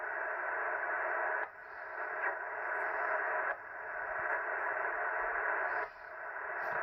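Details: Ham radio receiver, noise heard on all bands: steady rushing static with a short drop every couple of seconds; radio frequency interference radiated through the electrical system from a Ryobi battery charger.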